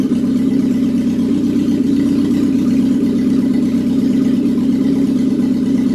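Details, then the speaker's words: Classic Alfa Romeo with rebuilt Weber 40 DCOE 2 carburettors, after tightening the plate: even, steady idle hum with constant low tone, no hunting or misses; before idle speed/mixture adjustment and balancing; normal idle. "all right guys i just tightened up the missile plate sounds pretty steady now"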